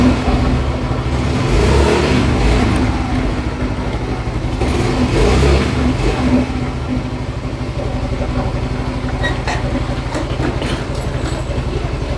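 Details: Yamaha Mio M3 125 scooter after repair: revs up cleanly and drops back to a steady idle without stumbling or popping. Earlier sputtering and stalling were traced to a fake NGK plug and a weak "rotak".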